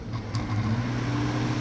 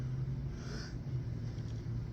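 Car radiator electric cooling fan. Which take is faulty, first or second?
second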